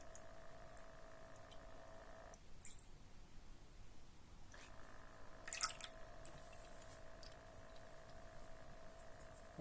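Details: Cat water fountain pump running despite rubber and foam pads added under it to damp vibration: faint steady droning hum that drops out for about two seconds when switched off, then returns; noise scares the cat away.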